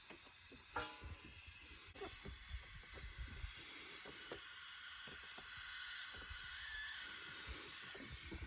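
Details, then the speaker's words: Subaru STI boost leak test with about 7 psi applied to the intake: a faint steady high hiss of escaping air, to be pinpointed by spraying soapy water; boost leak. "so you'll probably be able to hear it hissing you can get some soapy water and just start spraying some of these spots"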